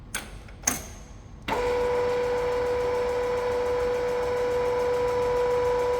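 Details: Big lathe carriage feed test run after replacing a broken apron gear selector fork and refilling the apron with oil; a clunk, then a steady mid-pitched gear whine holding even with no knocks or grinding. Feed runs smoothly.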